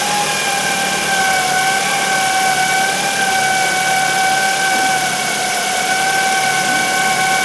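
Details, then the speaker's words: 2008 Ford Focus 1.8 petrol that lost electrical power and died, jump-started; charge and voltage-drop checks fine: steady constant-pitch high whine over idling engine from engine bay, suspected alternator. "however there is a port a whining noise coming from the engine bay sounds like it's the alternator"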